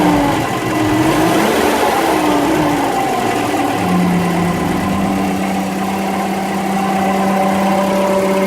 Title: [DSuper] : bruit pompe à eau